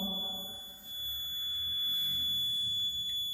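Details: Maxwell's inductance bridge trainer kit measuring unknown inductance: a steady, thin, high-pitched tone keeps sounding from the detector speaker, showing the bridge circuit is still unbalanced.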